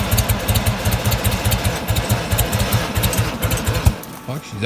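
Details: Old Bobcat 643 skid steer with a lawnmower engine replacing the original blown diesel, unstarted for two to three months and fitted with an electric fuel pump; chugging crank at about eight pulses a second that never catches, traced to being out of fuel.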